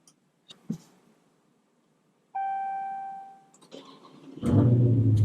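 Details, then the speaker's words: 2020 Dodge Challenger 1320 with new XS Power XV4800 12V lithium battery, after sitting a few days: clicks and chime, quick crank catching at once into strong steady idle; started no problem, voltage 12.3 V climbing to 13.6 V. "Started up, no problem. Voltage started in 12.3 and is slowly climbing."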